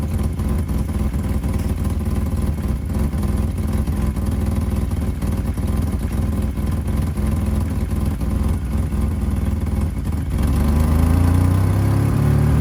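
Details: 1985 BMW 535i E28 M30 inline-six cold start at 19°F after sitting months: raspy puffing tick about four per second, louder as revs rise, from a pre-existing exhaust leak where headers meet the catalytic converter.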